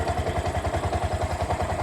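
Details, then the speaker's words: Bajaj BS4 single-cylinder bike, reassembled after crankshaft problem; the noise began after an oil change: smooth idle at about six or seven even pulses a second, no knock or rattle; running correctly. "Okay ಆಯಿತು, ಇದು ಕರೆಕ್ಟಾಗಿದೆ."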